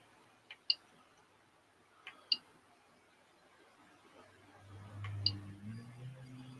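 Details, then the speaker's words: 3D printer Z-axis motors after swapping wiring: a few sharp clicks then a low, steady, even hum as both Z motors drive up together smoothly; normal stepper motion. "smooth as silk and both of them going up like they're supposed to beautimous"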